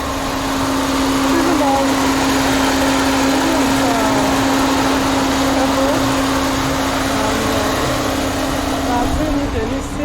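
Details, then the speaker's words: Peugeot 607 Z8 phase 1 with ES9J4S V6 and ZF 4HP20 automatic, after repair of a severe misfire: even, stable idle with a constant hum, no stumbles; oil still cold, so it is not revved high. "So as you can see, the RPM is now very stable. You know, the oil temperature is still low, so I don't want to rev the engine that high."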